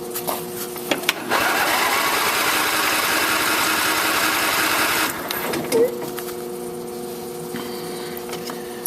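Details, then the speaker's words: Craftsman lawn tractor model 917.273041, 20 HP Briggs and Stratton engine, circa 2000, not started since last fall: starter whirs steadily about four seconds, never fires, with charger boosting a weak old battery. Cranks but no start. "take a while to get fuel to it. Obviously needs a little time here to recharge."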